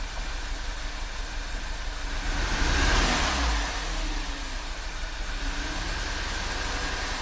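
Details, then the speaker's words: VW Tiguan turbo GDI at idle after high-pressure fuel pump replacement and an oil change (gasoline in crankcase): rough, lumpy idle with a brief rev; P0301/P0302 set, cylinder 2 shows no contribution on drop test; dead cylinder, spark being checked. "Definitely feels like a dead cylinder. Let's check for spark."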